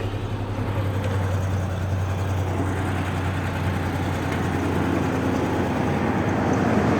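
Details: Ford Ranger 3.0 engine: uneven, lumpy note with an irregular stumble breaking the rhythm several times a second; engine misfire.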